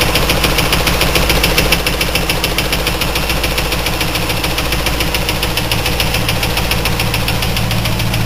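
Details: 2000 Trans Am LS1 V8, 95k miles, FAST 92mm manifold, 92mm throttle body, SLP FlowPac, 3.90 gears: steady idle with light regular tick at about engine speed; ticking just started, oil fine, cause unknown.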